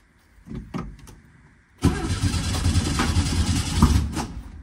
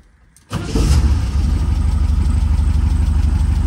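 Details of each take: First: 1967 VW Type 3 Squareback after Pertronix SVDA distributor install, timed at 7.5° BTDC: two cranking bursts with even starter churn and no firing; crank no start, distributor clamp too loose so it slips out of time. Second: 1967 VW Type 3 Squareback after swapping to a Pertronix Flame-Thrower SVDA vacuum-advance distributor and first break-in oil change, before dynamic timing to 30°: engine catches within a second and settles into a steady, even low idle; normal start and idle.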